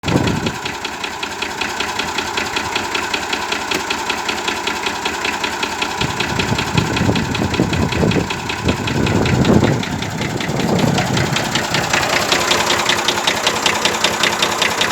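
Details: 1965 Massey Ferguson 135 diesel tractor at idle. A sharp, regular knock on each firing beat, seeming to come from the top of cylinder 1 or 2. It breathes and spits oil from the dipstick tube; a rebuild is likely needed.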